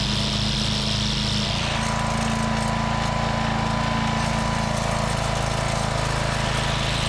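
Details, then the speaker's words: Walk-behind brush mower whose front cutter would not engage. A bent lever was fixed and the sticky belt tensioner swivel was cleaned with its washer flipped. The single-cylinder drone dips slightly as the blade drive takes up, then holds an even beat. Normal running with cutter engaged. "Alright, that seems to solve the problem."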